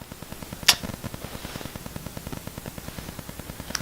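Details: Rode VideoMic Go picking up rapid, even ticking of about ten clicks a second during silence, caused by electrical interference from wifi or a MacBook; fix was switching to a different mic.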